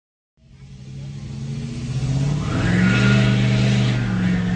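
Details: 2017 Nissan Altima SV petrol engine after a cracked exhaust manifold in the engine bay was replaced: cranks, catches and settles into a steady, even idle with no exhaust ticking; normal start and idle after the repair.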